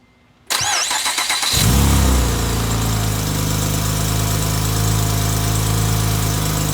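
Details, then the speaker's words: Acura TL J-series V6 after piston replacement, first start with fuel primed and fluids filled: short crank, catches cleanly, brief rev, then steady even idle with no knocks or misses; normal start and idle, smoke expected from burning residual oil. "sounds good sounds really good"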